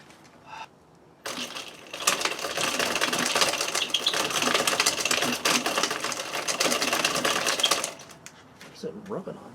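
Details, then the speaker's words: Yamaha WR250E after front motor mount reinforcement and chain tensioned just past 38 mm: fast, dry ticking and scraping for about six seconds while the wheel spins in reverse; forward is fine, something in the chain drive rubbing. "some it's sounds like something down here I don't know guys just let me just make sure"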